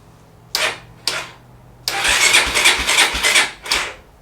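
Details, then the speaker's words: 1989 Honda NX250 water-cooled dual sport, non-runner, first start attempt on choke then run: short cranking bursts, then ragged run almost firing and dying; hard starting, carburetor later found to be the main culprit. "Oh, that's not good. Huh. That doesn't sound good."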